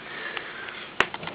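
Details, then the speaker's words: Bush LT24M3 24-inch LCD TV, under a year old, with an unstable voltage regulator: after freeze spray the power LED lights, and sharp isolated clicks over faint hiss come as the power supply repeatedly starts and drops out. "And now the power LED is on. And you can hear it clicking every so"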